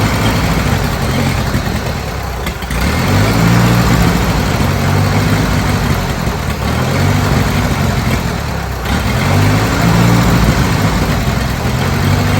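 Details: Old Bobcat 610 skid steer, Wisconsin petrol engine with old carburetor just opened: idle surges and sags about every three seconds with an uneven beat; owner thinks it picked up water in the carburetor and plans fresh gas from a makeshift tank.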